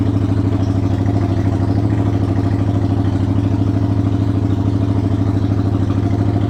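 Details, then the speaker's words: 1993 Yamaha Virago XV535 V-twin, cold, choke on, in neutral, first start after new spark plugs: uneven low idle thumping about two beats a second, struggling; owner thinks he made a mistake during the plug job. "we're going to just listen to it now it's [Music] struggling oh"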